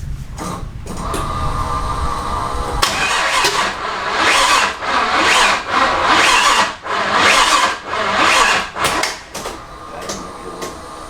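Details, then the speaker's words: LS-swapped Toyota Tacoma, first start attempt after wiring and adding fuel: labored, uneven cranking surging about once a second, fighting itself without catching; sounds like an ignition timing problem. "Alright, so after that first startup attempt that was a complete fail, the first thing I went after was ignition timing. It just sounded like an ignition timing problem to me. You could kind of hear it when you go to crank it. It was kind of fighting against itself."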